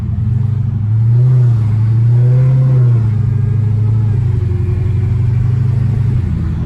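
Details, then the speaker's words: 1,000whp "Driftcat" on test drive after new suspension arms: steady low road rumble, no clunks or knocks, turns better and quiet; broken front sway bar end link likely caused earlier noise. "First impression, it turns even better than what it did before, and no noise whatsoever. So I'm already extremely happy."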